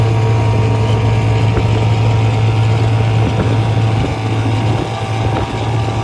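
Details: 1956 Johnson 7.5hp AD-10M outboard in gear under load on a 14-foot deep-V Sylvan boat, about 8–10 mph: steady, even low drone over light wind hiss, no misses or knocks; pulling smoothly, healthy, quiet and reliable.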